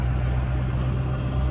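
Smooth steady low idle with an even, unbroken hum and no misses, knocks or ticks; engine running fine.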